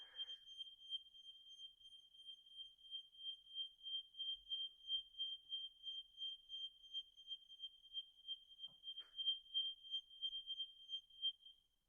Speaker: I tend to do it test it here and I'll do it twice because you've got a different sound for the carbon monoxide alarm to the um you know traditional heat optical alarm. So I'm going to press and hold and hopefully they'll all go off. I can hear them all going off.